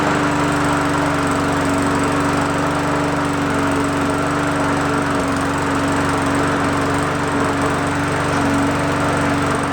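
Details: Roadside free single-cylinder mower, primer bulb pumped three times, first pulls: steady even buzz at constant speed with no surging or misfires; starts easily and runs smooth.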